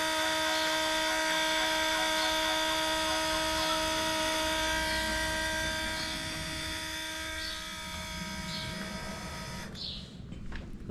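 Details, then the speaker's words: Case 305 during service, key on after installing both new fuel filters: steady high electric buzz for about ten seconds, then cuts out cleanly as the fuel pump cycles off; normal priming of the new filters. "Let It cycle back and forth with the fuel pump going to take and turn the key on we should hear the pump kick in there"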